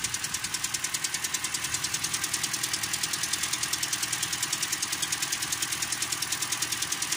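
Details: 2013 Toyota Corolla with a 3GR 2.0 engine at idle: crisp, even metallic ticking about three times a second. Owner says it fades when warm. A connecting rod bearing was first suspected, but a rocker arm had come off the camshaft with increased clearance.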